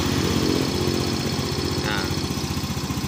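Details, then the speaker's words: Fino 125 scooter on arrival, idling fast at 1900–2000 rpm with no throttle, beat drifting down then rising unevenly; scanner shows abnormal injector spray duration; bike stutters at low revs and lacks mid-upper power. "Baik, di sini langsung kita lihat di bagian putaran mesin ini cukup tinggi ya, ada di 2000 rpm, 1900 2000 rpm ya. Padahal tidak saya apa-apakan untuk gas, saya diamkan, tapi RPM sendiri cukup tinggi."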